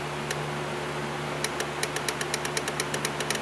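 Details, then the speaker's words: Dodge Neon with no start, no crank, no communication, probing relays with a test light: quick run of sharp, even clicks, roughly eight a second, over a low hum from the relay box; relay pulling in, power getting through. "you guys hear that clicking? So what's that tell us? That tells us that we have power going through."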